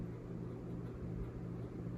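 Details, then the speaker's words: Hampton Bay Quick Connect ceiling fan on high speed: steady, unbroken low droning hum, quiet on low with slight ticking, no knocks or scraping; motor hum. "here we are on high it's definitely humming now"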